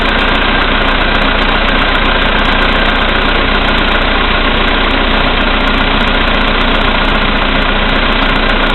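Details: VW Polo Sedan, CFNA engine, 2222 km, cold start at -5°C after sitting overnight; oil three marks below max, about 90 L of Lukoil 98. Steady knock, two to three per second, over the engine at cold idle. Origin unknown.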